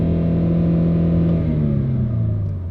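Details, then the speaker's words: Used car with 83,673 miles displayed but 134,661 miles in computer, live data out of spec: deep rumble as engine revs then settles, rough uneven drone underneath; shudder felt on revving, engine problems not pinned down. "You can hear a little, but I feel shudder. This engine has problems."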